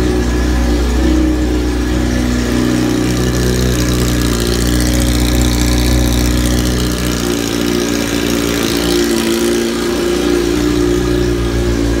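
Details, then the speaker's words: 2005 Yamaha R1 with a full Bos Brothers exhaust, essentially an open header, started after the fuel pump primes on a lithium battery: a loud, raw open-pipe roar that holds steady and swells with throttle, no misses or rattles; normal running. "it is very loud it has a full bos brothers exhaust so the boss brothers is pretty much pretty much just an open header"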